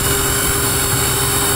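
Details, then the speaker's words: 1995 Chevrolet S10 at operating temperature (noise absent when cold): steady high hiss-whine over a smooth idle; vacuum leak, later confirmed as a bad TBI throttle body base gasket. "more time out of the wind that's 99% sure a vacuum leak there"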